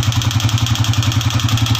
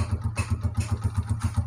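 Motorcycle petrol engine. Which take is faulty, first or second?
first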